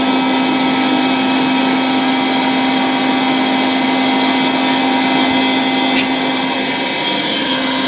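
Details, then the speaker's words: 1960 Polish Alfa II vacuum cleaner with SK-5 motor, run briefly on mains with very worn motor brushes: a steady high motor whine with rushing air holds even; good suction, brushes still need replacing. "A very nice vacuum cleaner, with really good suction power."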